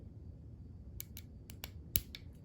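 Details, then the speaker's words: Porsche 944 windshield wiper motor removed from the car and powered directly from a battery: sharp, irregular clicks with no spinning hum; the motor is seized and needs a rebuild. "Okay, I can hear the motor clicking, but it's not spinning. So that means it's seized up, it's broken, and we can fix it."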